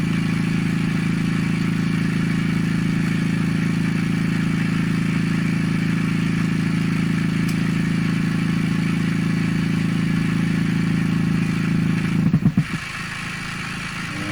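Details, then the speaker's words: Pye Model 39HC radio after a volume control replacement, while changing wiring: steady low putt-putt pulsing about three times a second from the speaker; motorboating oscillation that changes with volume, cause suspected, not confirmed. "turn up the volume something happens turn it back down something goes away even though you can hear the guy talking the whole time so I think there is another oscillation in there still"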